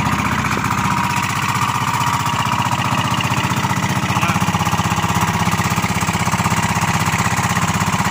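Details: New 10 HP diesel engine on road test during break-in: fast, even thumping beat, about four pulses a second, steady with no knocks or rattles; runs healthy.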